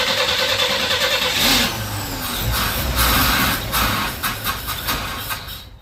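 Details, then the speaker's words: 1961 Chevy Bel Air with a new starter, auxiliary fuel pump removed and mechanical pump working, carburetor not yet adjusted: runs with a lumpy beat and intake hiss, then fades; owner thinks the carb is getting way too much air. "carburetor just sounds like it's getting way too much air"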